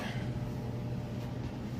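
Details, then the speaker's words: Crosley electric dryer running empty: steady low hum with a faint even drum rumble, no knocks or squeals; works perfectly and sounds normal. "Empty, works perfect, sounds great."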